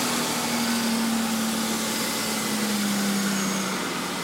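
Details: 1995 Chevrolet Lumina 3.4 swap, just after a K&N air filter install, started and revved to check for a whistle: steady, even engine rush with a faint drifting low tone, no obvious intake whistle; sounds healthy.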